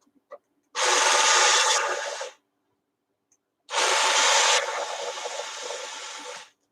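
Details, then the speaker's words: Robot dog toy switched on during servicing: two loud gritty rasping bursts of about two seconds; the loud noise traced to the gearbox in its head driving the antennas. "big louder noise is coming from his head, and it's the gearbox for what's it called? His antennas."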